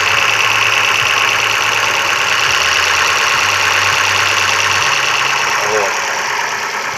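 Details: Opel Astra H three-door hatchback, Z16XEP 1.6 engine, after intake manifold repair for a knock: steady, even idle with a smooth hum and no tapping or knock; engine sounds healthy.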